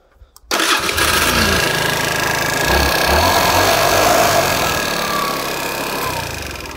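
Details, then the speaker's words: Nearly new scooter at about 3000 km that had hard starting and no revs: after fixing a factory-stripped sensor bolt so the sensor reaches the magnet, it starts first try and revs freely and strongly. "и все проблемы исчезла теперь запускается"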